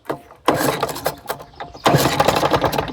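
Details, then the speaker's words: 1969 Lawn-Boy bricktop mower, model 3055 two-stroke, unrun for years, started with carb cleaner sprayed into the carburettor and lubricant in the cylinder: irregular popping bursts catch into a rough, smoking run; fuel system and carburettor still to service. "Ooh. She's smoking. Oh yeah, she's gonna live. She is gonna live."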